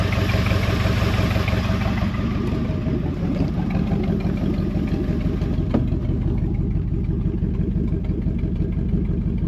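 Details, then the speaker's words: 1973 Mercury Montego GT, 400 cubic inch Ford V8, sat ten years, first start: steady, even low rumble with smooth regular exhaust beat and some glass pack sound, no knocks or misses; oil pressure mid-gauge, floppy belt needs replacing. "oil pressure is looking good right about in the center this thing sounds good a little bit of glass pack action down there"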